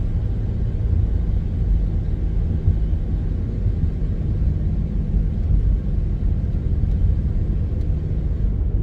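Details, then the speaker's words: Car with a loud airplane-like front-end whirring while cruising: a steady low hum under road rumble, unchanged with load, on or off throttle, or turning direction. Seemingly from the front and hard to pinpoint; a worn front wheel bearing. "Normally a wheel bearing sometimes will make more noise when you're turning one direction than the other direction, and I didn't notice that happening at all. The noise is kind of constant whether you're on the tire or off the tire."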